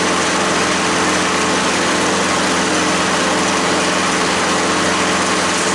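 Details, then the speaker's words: Curb-found 6.5 hp push mower, started with starting fluid: loud single cylinder buzzing steadily but ragged and uneven; rough running blamed on gummed-up spark plug and dirty carburetor. "hopefully it runs smoother spark plug was dumbed up and the carburetor yeah definitely"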